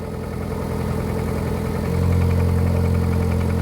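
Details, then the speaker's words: Lada Priora 16-valve 126 engine, 98 hp, 28,000 km, cold start after standing overnight: petrol engine idles with a dull knock about four times a second; knock disappears when cylinder 2 is disabled. Piston knock. "появляется короче ребят поршень стучит"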